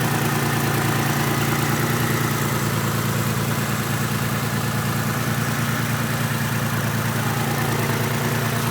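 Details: Mitsubishi 3000GT VR4: lumpy, uneven idle with an irregular stumble about twice a second over a steady drone; owner unsure whether a valve problem or a bad misfire; engine misfire at idle.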